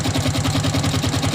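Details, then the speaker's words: Smash 110 motorcycle started after sitting almost 5 years in storage: quick, even beat around ten pulses a second at idle but thin, tinny, harsh sound; cause not confirmed. "itu suara terlalu kalengan"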